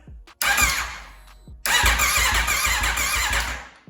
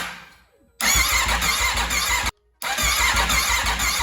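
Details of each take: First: Wrecked 2021 Aprilia RSV4 being rebuilt, fresh 91 fuel added after a P2257 code: starter cranks in two rhythmic bursts but engine won't fire; owner suspects a bad or unplugged fuel pump, pump not heard running. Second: Wrecked 2021 Aprilia RSV4 being rebuilt, after topping up oil: two bursts of even, fast starter cranking with steady pitch, no clicks or grinding, not firing; it intermittently only clicks instead of cranking.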